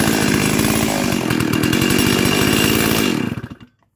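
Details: Stihl 036 chainsaw rescued from a junkyard, carb fitted and tuned, new NGK plug, 20-inch bar: screaming clean, even full throttle at 13,410 max rpm, then throttle released and it winds down; runs healthy.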